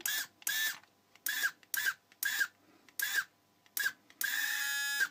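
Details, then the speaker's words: Children's 6V/12V ride-on Mercedes SLS AMG toy (QX7788, Qunxing) after radio receiver PT8A978/8A977 repair: short bursts of steady high-pitched drive motor whir, clean starts and stops, forward and reverse; motor works normally. "włączamy radiostacje i co I proszę bardzo mamy na silnik podskakujący"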